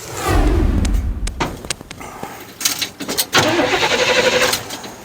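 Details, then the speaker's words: 1957 Chevy Bel Air barn find with newly installed starter, shimmed: short strong crank, engine catches and settles into ragged early idle; starter engaging and turning properly. "maybe it will work that looks like it's working"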